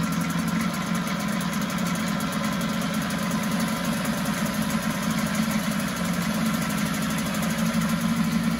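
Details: 1974 Mercury 4 hp single-cylinder two-stroke outboard in a test tank, after carburetor passages were cleaned with air: quick, regular putter holding constant speed without surging or dropping out; runs like a top.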